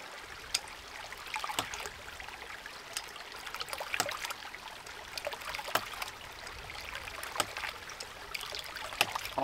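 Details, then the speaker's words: New Land To House 1-inch hydraulic ram pump on test, no delivery pipe connected and outlet closed off: sharp clacks about every second over trickling water, even rhythm; waste valve cycling on its own as it should, building tank pressure. "as you can see, the ram pump is working on its own because there is no delivery pipe connected and I've got that end of the pump closed off."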